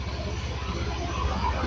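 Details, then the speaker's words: Stalled fuel-injected Honda Beat scooter restarted after oil was injected into the cylinder to free carbon holding the valves open, which was leaking compression: engine catches straight away, settles into steady even thrum, slight smoke from the oil; running normally. "motornya alhamdulillah langsung hidup teman-teman ya."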